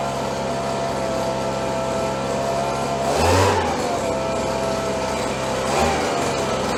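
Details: 30+ year old Stihl BG72 two-stroke blower, warmed up: steady high buzzing drone holding even, two quick throttle blips picking up cleanly; normal running when warm.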